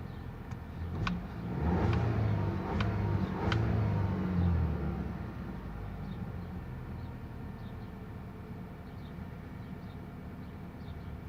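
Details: VW Passat CC 2.0 TSI: low engine rumble swells as the clutch is released at the biting point, with sharp knocks as drive engages; left engine mount already replaced without curing it.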